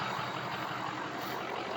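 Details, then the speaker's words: Ford 6.0 diesel truck with a hot no-start (standpipe/dummy plug suspected): low, even idle with steady rumble and no knocks or misses; runs fine mechanically. Normal diesel idle. "But I mean, like I said, this thing just sounds great."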